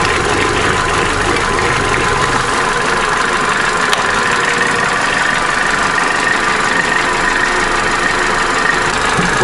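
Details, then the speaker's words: Opel Corsa D A14XER 1.4, 65,000 km, fully warmed up: steady even idle with only faint injector ticking on top; all within normal; slight chain rattle noted only under load while driving; normal warm idle. "мотор прогрелся слышно только небольшой Шеле форсунок Всё в пределах [музыка] норма"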